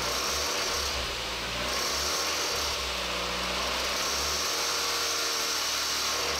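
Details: Engine at 300,000 km, noise at 2000–3000 rpm, heard with serpentine belt removed: hissing whirring note with uneven rapid rattle; defective timing belt tensioner, risk of engine damage.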